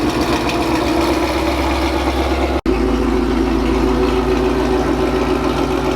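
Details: 2016 Mustang GT salvage build with VMP Gen 3R supercharger, AC deleted, first start after the build: even deep idle with low steady drone and smooth rhythm, no misses or knocks; running normally.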